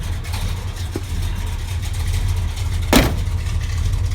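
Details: 1969 Plymouth Road Runner 440 with 727 transmission, rebuilt carburetor, new exhaust and fuel sending unit: deep, even V8 burble at idle with a steady lope and one stray clunk near the end; a smooth, healthy idle.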